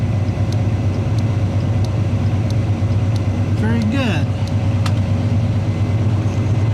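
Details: 1981 Chevy truck with the engine idling at full voltage, thermal turn signal flasher: crisp, even clicks about ninety a minute; cycling properly.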